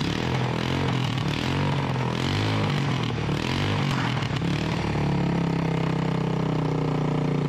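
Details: Freshly rebuilt 1988 Honda TRX200SX single-cylinder engine, out of frame, bored .020 over, new crank bearings and seals; thumping with a couple of throttle blips, then steady even idle, runs cleanly, like new: normal running.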